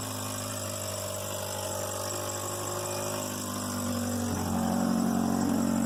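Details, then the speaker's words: Engine at idle, compression 155–160 and plugs fine: steady hum wavering and rising unevenly, missing and nearly dying at stops over past month; rough idle, with air leaking near exhaust/housing gap. "it was not well felt sounded like it was missing some and yesterday i was driving around and it's like trying to die at you know stop light"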